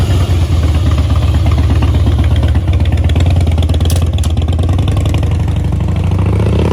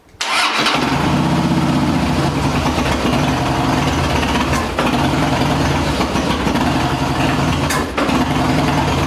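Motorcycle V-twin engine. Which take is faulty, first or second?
second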